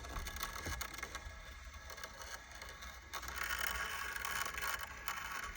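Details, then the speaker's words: 1990s Ford Escort cassette deck, key in on position with a tape inserted: quiet rough scraping and crunching with irregular clicks and no clean motor whir. The deck mechanism grinds and does nothing; the tape deck is not working. "Well, that doesn't sound good. Here's the results on that. It did not do anything. So, kind of bummed that the tape deck isn't working"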